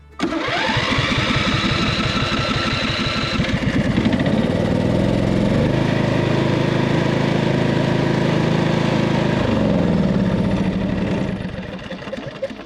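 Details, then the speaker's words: Cub Cadet RZT 50" zero-turn mower engine, which clunked and quit for the previous owner: runs lumpy on one cylinder, then dies when the good cylinder's spark plug boot is pulled; the other cylinder is dead, a bad engine. "yeah i yanked the spark plug off while it was running and it died right out so we have diagnosed this and yes it appears to have a bad engine"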